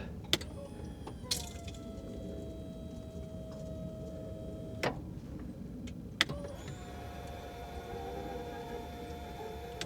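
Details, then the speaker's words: 1995 Mercedes E320 Cabriolet (W124) convertible top hydraulic pump: quiet, steady electric whine that holds pitch without straining while the top does not move; owner suspects air in the long-unused system, nothing leaking where lifted. "Okay, so I've lifted this and there's nothing leaking out right there, which is good. I think we just have so much air in the system after, 47 years of not working."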